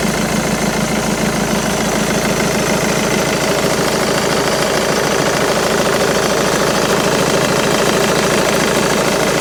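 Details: Jaguar X-Type 2.2 diesel (QJBA, 155 hp, 2005–2010) idling with A/C on: rough, uneven knocking about three per second over the clatter; engine noise when A/C on, cause unknown.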